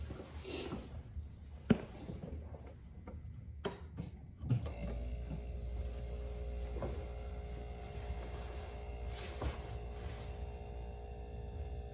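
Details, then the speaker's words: RCA 5.1 cu ft chest freezer that wouldn't stay running after defrost and moving: after replacing the broken starter relay with a QP2-4.7, clicks and knocks then steady low hum; compressor starts and stays running, still running 30 minutes later. "yep sounds like it's staying on that's it we'll come back and check it"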